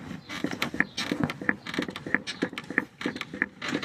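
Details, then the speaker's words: Toyota Sienna front strut being rocked by hand: irregular dull clunks with creaks, about one to two a second, matching the "taca taca" noise heard while driving. The upper strut mount bushing is worn. "Es para detectar de dónde viene ese ruido cuando ustedes están manejando y hace taca taca taca taca taca taca taca taca taca. Ese es el ese es el problema."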